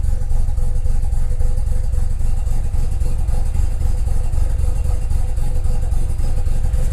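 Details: 2001 JDM Mazda RX-7 FD3S rotary with a rough, lumpy idle loping three to four times a second and a shaking boost gauge needle; cause not clear.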